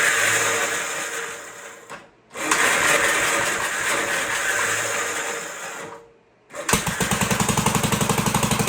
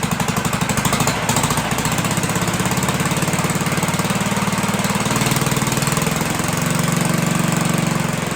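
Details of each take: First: 1958 Gravely Model L single-cylinder engine, sat unused about a year, first start after fuel reached carburetor, needle valve opened, choked, throttle not hooked up: thumping surges and fades twice, then catches on an uneven beat; rough, untuned running. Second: 1958 Gravely Model L, sat about a year or more, revived with oil checked and throttle hooked up; the muffler has a big hole and little smoke is seen. Quick, even single-cylinder chuff at steady speed with no misses or knocks, running well.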